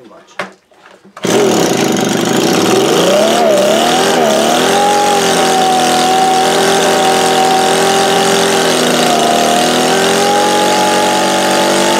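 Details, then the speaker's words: Echo leaf blower, after carburetor cleaning of gelled fuel: high buzz wavers up and down a few seconds before settling; running unevenly and lacking some power, debris coming from exhaust, getting better as it runs. "alright guys so it does run you solve that we're gonna check the exhaust now it seems like it's lacking a little bit so and make sure it's clean as I felt some crap coming out of it"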